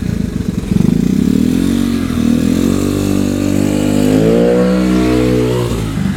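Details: Honda Vario 110 carbureted scooter with new R-One standard-racing exhaust, pulling away under acceleration: smooth rising, muffled deep note with intake roar audible; owner finds it quieter than previous exhaust, healthy.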